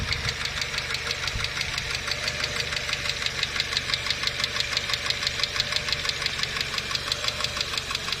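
Quick, even metallic ticking about three times a second over a steady idle, light and sharp: hydraulic lifters tapping.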